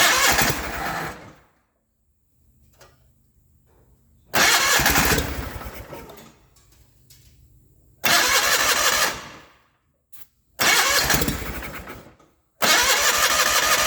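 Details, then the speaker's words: 1989 John Deere 420 garden tractor cranks in four short spells using starting fluid and swapped fuel lines but won't keep running; the original fuel pump is bad and isn't pulling fuel. "when i last worked on it i discovered that the fuel pump is bad"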